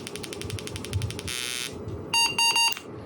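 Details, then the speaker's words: AMD 386 DX/40 motherboard under repair: a row of soft ticks, a harsh buzz, then three short high beeps as it power-cycles. It keeps rebooting instead of booting; cause unknown. "it's booting up and then it's rebooting but we have a picture on screen"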